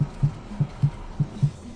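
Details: Suzuki SX4, rear knock first blamed on suspension: dull low thumps repeating about four times a second; the soft rear body panel is flexing and knocking, and the noise stops when the panel is clamped.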